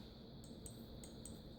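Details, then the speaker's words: 2008 Kawasaki Concours 14 KIPASS ignition switch: five crisp, clean clicks from the micro switch on a replacement switch that works fine. On the faulty original, this micro switch sticks and doesn't come back up. "and you can hear the click. Now this is the other ignition switch that I bought. So this one seems to be working fine."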